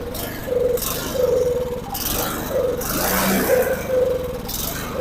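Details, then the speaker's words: Snow blower small engine with a cracked fuel line, carburetor not yet cleaned: surges and drops in uneven bursts about every second, sputtering; suspected fuel starvation from a dirty carburetor. "I don't know why it's sputtering. It's just straight up not getting fuel somehow."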